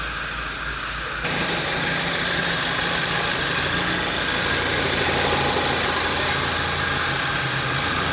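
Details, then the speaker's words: 2013 VW Fusca TSI, engine noise case: after new original VW timing chain kit and reassembly (intake cam variator found with excessive play), engine starts and idles steadily with no chain rattle or ticking. "o funcionamento do Fusca aí ó ficou o comando kit corrente Acabei de funcionar ele a chave lenta"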